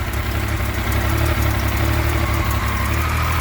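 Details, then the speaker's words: Yamaha FZ09 donor engine, with no battery, started on a 200 amp jump starter after priming the fuel pump: even, low idle burble, steady with no knocking or misfire gaps; the engine is fine. "The engine right there is fine. Totally fine."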